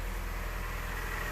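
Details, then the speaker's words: Car engine at idle, transformed from a diesel-like clatter: a smooth, even low hum with no ticking or clatter, with the exhaust audible over the engine. Normal, clean idle. "oh it sounds so smooth oh my goodness no more clattering I don't even recognize it totally different car"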